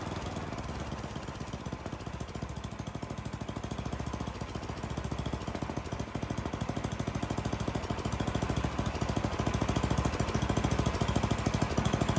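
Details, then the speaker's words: Troy-Bilt snowblower, Tecumseh 10 hp single, new carburetor: rapid, even putter near 200 a minute, getting louder and quicker as the high-speed mixture screw is turned, leaned until it ran badly, then backed out until too rich. "I did the high end first. I leaned it out and it really started running bad. So I backed it back out and I kept backing it out until it actually ran too rich."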